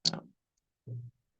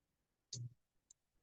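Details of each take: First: Arduino Maker carrier water-level control lab (relay 1 pump, relay 2 fan) after code upload: two sharp dry clicks about a second apart in a quiet room; relays pulling in and dropping out for no obvious reason. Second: Arduino Maker carrier water-level control lab right after code upload: one sharp relay click then a fainter second half a second later in a quiet room; relays switching normally.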